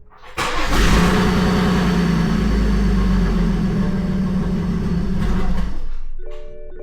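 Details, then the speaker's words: BMW 340i single turbo, first startup on new MHD Plus base map: starter cranks, engine catches and roars up, holds a few seconds, then dies abruptly; codes set, log sent to tuner, cause unknown. Stalls right after starting. "Dies right away. Okay, let the tuner know. So, I did message the tuner and uh I sent him a quick log of the startup and it shutting off."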